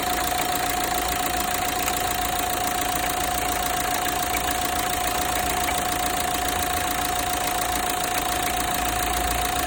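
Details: Renault Megane 3 1.5 dCi diesel idling, especially on starting: quick fairly regular metallic cracking/ticking and thin steady whistle near the accessory belts; source not pinned down.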